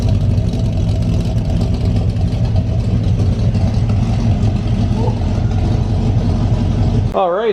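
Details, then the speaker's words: 1982 Chevy G20 van V8 with Extreme Energy 268 cam, new timing chain and gears, and Flowtech 200cc heads, just after cam break-in: deep, loping idle with rhythmic chop, no ticking or knocking; healthy normal lopey idle. "The engine's got some snap to it. Got a really healthy lope at idle."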